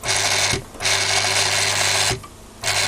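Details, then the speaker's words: Daiwa DR-7500 antenna rotator (Kempro KR400-type) with refurbished, upgraded internals; steady gear-motor whir cuts out twice, each ending in a dull clunk as the off-axis motor drops onto its brake; normal for these motors. "the off-axis motor going clunk clunk as it drops back onto the brake. These motors have always been a bit on the noisy side, and the gears are set up in these things, so it is what it is."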